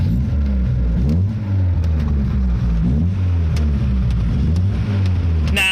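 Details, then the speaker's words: Fiat 124, last driven in 2012, with a temperature gauge that reads pinned. Just after starting, a low lumpy note wavers and stumbles; it runs rough. The owner blames gas in the tank about 12 years old (suspected). "it doesn't run very well, but I'm putting that down to the fuel because the gas in the tank is about 12 years old."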